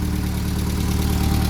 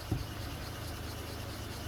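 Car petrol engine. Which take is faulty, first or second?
second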